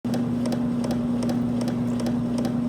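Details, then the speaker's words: Carpigiani soft serve machine, freezing cylinder running dry with no mix: steady motor hum with sharp, even knocks two to three a second, sometimes with a high-pitched squeal. The first check is the pump's operation. "That knocking maybe sometimes accompanied by a high-pitched squeal. If you've heard this, you've heard the sound of your cylinder running with no mix in it."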